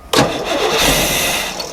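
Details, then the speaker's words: 1990 Fleetwood Bounder motorhome, 454 V8, started with a squirt of gas into intake: short burst as it fires then dies within about two seconds; owner suspects fuel pump, not confirmed. "oh it's gonna run yeah again well I'm trying to see if I'm getting it I heard it that time I'm trying to get some squirt out of it but yeah we might have a don't do that might need to check the uh fuel pump and see but at least you know it runs"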